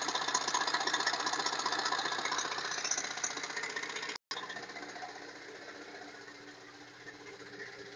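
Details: Chrysler Voyager S2 TD diesel at idle: sharp metallic tapping about three times a second over steady idle, regular and persistent; knock with cause not pinned down.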